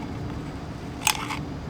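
A single sharp click as the hand-turned impeller snaps back against its magnet, which is normal for a healthy pump.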